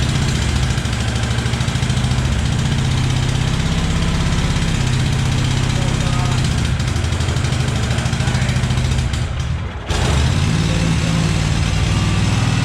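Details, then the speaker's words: Cub Cadet 1864 lawn tractor (thought to be a 1994), 671 hours. It won't run at full throttle, idling low and lumpy only with throttle down on full choke. A clogged carburetor causing fuel starvation is suspected. "So that's a dead ringer for a fuel issue. Because I suspect the carb's probably clogged."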